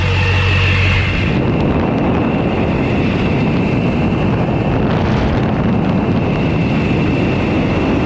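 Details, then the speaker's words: LLY Duramax first start with a new turbo fitted with a wicked wheel, new exhaust and intercooler, replacing a locked-up turbo that had dumped oil: a steady high, constant-pitch turbo whistle over a smooth diesel idle, with good oil pressure. "that wicker wheel does have some whistle let me see if you can get down there and hear it"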